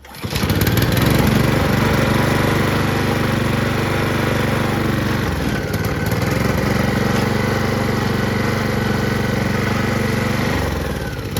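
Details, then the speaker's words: Honda HRR216 Harmony II QuadraCut push mower with blades removed because they caused heavy vibration: even, steady single-cylinder beat with no knocks or shaking, running smooth; normal running. "it's not bad oh no gas in it now but that's pretty good so you know what I took the blades off cuz it vibrates so much to show people that it works and stuff it's better to have it smooth"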